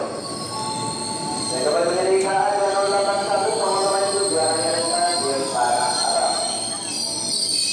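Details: KRL commuter train arriving and stopping at Rangkasbitung station, with loud, shrill squealing that wanders in pitch over rail rumble. The brakes are suspected to need repair; unconfirmed.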